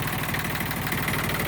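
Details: Yanmar YM1610 diesel tractor (1979-1981, 942 hours), first start after about 10 years sitting: steady, even diesel clatter at low idle with no misses or knocks; idling smoothly and sounds healthy.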